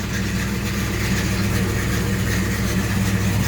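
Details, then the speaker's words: 1967 El Camino 427 big-block with MSD Atomic EFI, about 100 miles since install, cold morning start at 62 degrees: steady low idle with even beat, no misses or knocks; healthy cold idle before driving. "again like i say this thing is uh is cold but uh let's go for a drive see what you think"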